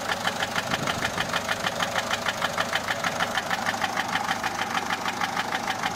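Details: Peugeot 407 1.6 HDi 90 diesel at idle: steady sharp light ticking, about 97 a minute, over a smooth idle. Noise began after a road drive, with slight white smoke from the rear. Mechanic suspects tappets (poussoirs) or camshaft, unconfirmed.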